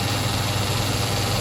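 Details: Sioux valve grinder after fabricating a recirculation oil return pan: steady even low hum, no knocks, rattles or surges; oil flowing back as intended. Normal running.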